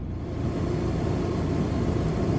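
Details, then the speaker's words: RV rooftop air conditioner on a new Micro-Air thermostat, fan set to manual high; steady, even rush of air over a low hum, noticeably more airflow, no rattles or ticking, running normally. "I guess it blows more air. Yeah, I mean, it does step it up."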